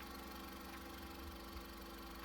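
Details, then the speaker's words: 2001 Honda Civic EX four-cylinder, 18 years old, on 5W-20 oil with Lucas oil stabilizer, valves adjusted at timing belt job; soft even idle hum, steady low beat, no knocks or rattles, normal idle. "runs like a champ. Nice and quiet."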